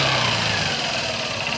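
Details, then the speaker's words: Honda Shine SP BS4 motorcycle after tensioner fix and battery fitted, once warmed up: steady even idle with smooth hum, earlier engine knocking gone; engine healthy. "य देखि दो अभी पूरी जो आवाज जो है वो चली गई है यानी कि दोस्तों मेरा अंदाजा सही था एक बार दोस्तो गर्म होने के बाद गाड़ी जो है व दिक्कत नहीं करेगी"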